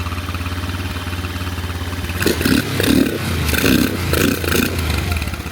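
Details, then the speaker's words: 150cc GY6 Chinese SunL quad after a tank, fuel-line and battery swap: even idle, but blips stumble and fade past a certain rev range; owner suspects the carb's higher-rev jet, not the idle jet. "So, it does sound like the uh carb the carb might need to come off cuz the idle the idle jet sounds like it's perfect, but once it gets up past a certain rev range, uh these carbs, they they kind of move over to another jet"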